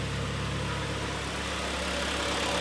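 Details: 2011 Kia Sportage G4KD 2.0, manual, front-wheel drive, 150,000 km, after repair of a severe piston knock with deeply scored cylinders: heard from outside, a steady, even, quiet idle with no knock or tapping; running smoothly.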